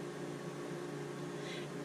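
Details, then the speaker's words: Harvest Right freeze dryer just started on a freezing phase set for 9 hours: steady, even low hum with a constant mid tone, no knocks or rattles, not loud; running normally. "It's freezing right now. It says it'll freeze for 9 hours. So for 9 hours, this is what I'll hear. It's not bad."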